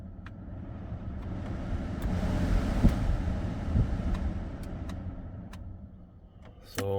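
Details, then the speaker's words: 2004 Duramax HD 2500 pickup HVAC blower after replacing a bad ignition switch, which had caused the blower to work only on high and the ABS light to cycle: air rush swells and eases as the fan steps through all speeds; normal blower operation. "I replaced the ignition switch with a new one uh and our cycling ABS brake light has gone away and we now have all the fan speeds"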